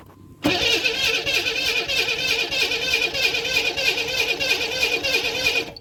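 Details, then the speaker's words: 1991 Camaro 3.1 L that suddenly wouldn't start, timing chain suspected: steady cranking for about five seconds during a compression test with plugs out, engine never catching; compression felt present, so timing seemed not the issue. "Alright, so we're going to do the compression. It should try to push my thumb off when we crank it."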